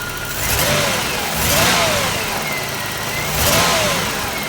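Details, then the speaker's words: 3300 engine with smoke and unusually dirty recently changed oil: engine breaks up in uneven surges under acceleration instead of smooth climb; no knock, typical 3300 tick. "It's kind of like, you know, if I describe it, what it sounds, you guys are gonna laugh at me, but it's not a smooth acceleration. It kind of breaks up a bit."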